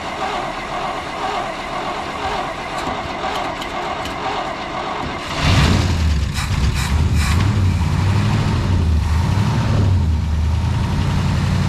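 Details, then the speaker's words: 1962 International Harvester C112 V8 with a rebuilt Holley 2-barrel carburetor and true dual exhaust with glass packs: after handling noise it starts and settles into a deep, steady idle with clean, even revs. Running on all eight, no shake. "beautiful beautiful running on all eight not a shake so we my Lord what a good running truck tonight this bad girl's got true dual exhaust with glass packs things awesome"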